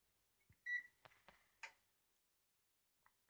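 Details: Panasonic SD512 bread maker: a few short high beeps with button presses and handling clicks after selecting medium size and crust and pressing start, then quiet; normal start confirmation.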